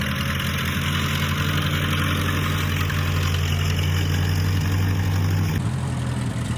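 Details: 1955 Massey Ferguson MF65 petrol tractor, in the family 30-some years, run after sitting about two years with a cleaned-out carb; smells of varnish and rusty gas. Steady, low, even rumble with a firm beat and no misses or knocks. Normal running; Marvel Schebler carb may need slight tuning.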